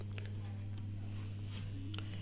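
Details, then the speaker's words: Home theatre playing a song from a connected phone: very faint output, mostly low bass thump with almost no mids or treble. Faulty volume potentiometer. "है। बहुत मंदी आवाज़ आ रही है, जबकि दोस्तों इतनी मंदी आवाज़ नहीं आनी चाहिए थी।"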